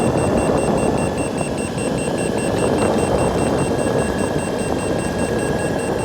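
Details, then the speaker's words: Boosted Board V2 electric skateboard with newly installed Shred lights, at about 23–24 mph: remote beeps rapidly, about four a second, over wheel rumble, power drops to eco mode and connection lost; motors and cables checked fine, cause unknown. "when we get about 2 23 24 miles per hour the remote starts beeping like crazy and we lose power it drops down to eco mode"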